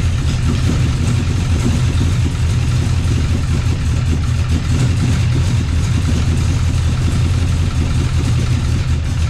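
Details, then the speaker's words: 396 big block Chevy swapped into an HQ Holden with TH400, restarted after piston and pan work: deep, even V8 rumble holding a steady idle with no knocks, misses or ticks; still sounds good, running normally. "I would have pumped it around still sounds good"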